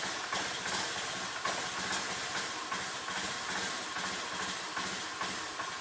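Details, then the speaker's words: Honda Beat scooter whose battery had dropped to about 3 V, started after charging: uneven idle with irregular puffs and stumbles, roughly two a second. Rough running; owner suspects a weak fuel pump or low fuel pressure, unconfirmed. "Nah, langsung nyala ya. Nggak seperti tadi susah banget untuk dihidupkan. Tapi berebet-berebet teman-teman."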